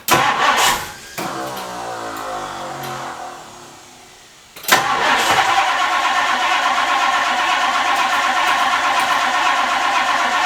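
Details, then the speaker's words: 1962 Ford Thunderbird Landau barn find, sat several years, tank-to-pump line blown clear; strong, even cranking about four beats a second but no firing. Crank, no start; fuel pump suspected. "You saw I got a good crank. I got a good crank out of that, and it just wouldn't start. It's the fuel pump."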